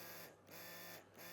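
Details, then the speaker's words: Battery-powered trigger sprayer pump, run briefly: even buzz that cuts out cleanly twice and restarts at once on trigger pull and release, smooth and steady with no rattle; normal operation. "It's nice. Pull the trigger, it's on. Stop pulling the trigger, it turns off immediately."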